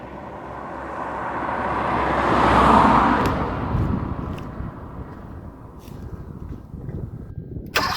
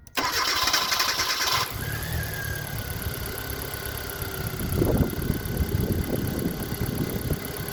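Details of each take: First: Car cranks but won't start: starter spins the engine at a steady churn that swells then fades without catching; no injector feed due to a blown injector fuse. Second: Car that cranked but wouldn't start, after replacing a blown 10 A injector fuse: brief starter whir for about 1.5 seconds, then catches and settles into a steady even idle; healthy start.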